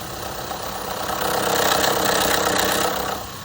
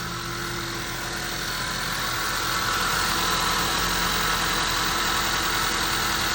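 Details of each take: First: 2015 Honda CR-V 2.4L AWD idling cold: light metallic rattle about four a second near the valve cover; low, dirty oil from overdue changes, suspected to affect VVT solenoids, phasers or sprockets. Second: 2015 Honda CR-V 2.4L AWD, restarted after its oil was drained, idles steadily and quietly with no rattle once the startup rattle stops; the cold-engine growl is suspected from VVT solenoids, phasers or sprockets.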